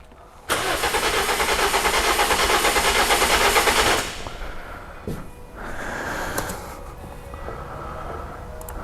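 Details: 2007 Toyota Corolla four-cylinder petrol with rough idle: about three seconds of cranking with a lopsided beat, one or two compression strokes weaker; suspected low compression linking cylinders one and two, possibly head gasket, not confirmed.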